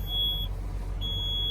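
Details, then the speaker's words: Junkyard garbage truck, diesel idling on weak batteries under 10 volts: two sharp high-pitched half-second beeps over a low idle, with do-not-shift lights blinking; low battery voltage warning. "I got blinking lights do not shift working lights and that one doesn't say anything battery voltage is too low yeah we don't even have 10 volts"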